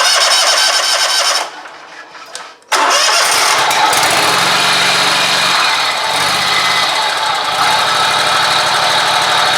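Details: Scag mower, noise began about four days earlier: after cranking, harsh raspy racket over the idle, worse with pressure on the pulley; owner suspects worn deck idler pulley bearing, possibly the belt, not confirmed.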